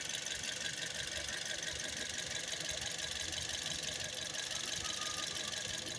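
Steady idle with a fast, fairly even ticking rattle, roughly three per second, over a bright metallic clatter; knock source undetermined.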